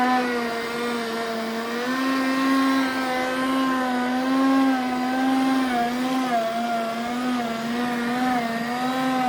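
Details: Roborock S5 robot vacuum bought November 2018, which started making strange noise 4 days ago along with a smell of burnt plastic: loud wavering whine with rough mechanical buzzing from its motor.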